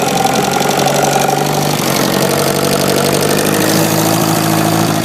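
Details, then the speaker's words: Atomic 4 marine gasoline engine from a 1972 Cal 29 sailboat, 1000 hours, cold January start with choke, phone placed by the lower end: even, steady idle with no knocking; no bottom-end or bearing noise. "There is no lower end noise, no bearing issues. This is really a nice little engine."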